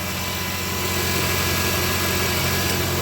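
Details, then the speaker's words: Car that made an ugly noise only in the mornings, after repair: steady, even idle on a very cold engine with no rattle or tapping over the low hum; the morning noise is gone, normal cold idle. "el motor está bien, pero bien helado. Súper helado. Así que no tuvimos más ese sonido feo que teníamos por las mañanas."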